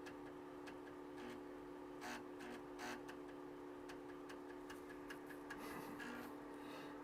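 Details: Kaypro 2/84 TEC FB-501 floppy drive in A drive, booting from a newly made disk after trace and resistor repair: scattered dry clicks of head stepping over steady motor hum, then settles and loads; normal seek.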